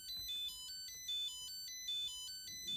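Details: Nickel strip spot welder, started on a battery measured at 2.7 V instead of 3.3 V, beeps high electronic tune roughly every 0.8 s nonstop, no OLED message; owner suspects low-voltage charge-wanting state; continuous alarm beeping.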